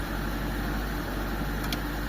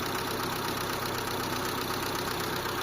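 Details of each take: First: Mitsubishi Lancer Second: Mitsubishi Lancer 4G13 carbureted engine after new fuel filter, previously noisy and hard to start: now a quiet, smooth idle with a soft even hum and no knocking or ticking; normal idle.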